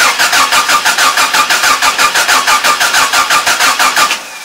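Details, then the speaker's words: Carbureted pickup truck, cold start in cold weather after puffs into the carburetor: even cranking pulses about three per second for four seconds, then it catches and runs. "let's see if this truck will start from us and it's cold out here"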